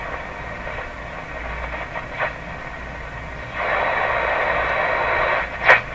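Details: Philco 38-C7 tube radio on broadcast band, two metal tube shells found ungrounded: hissy static with faint steady whistle and louder rushing stretch; spurious oscillation still present.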